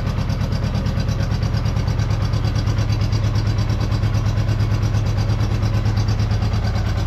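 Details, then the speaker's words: Honda Goldwing GL1200 flat-four idling after cylinder gasket leak repair, spark confirmed on all coils; deep, even steady pulse with no missing beats, engine running a lot better on all four cylinders once smoke cleared. "So, engine runs a lot better when it's running on all four cylinders."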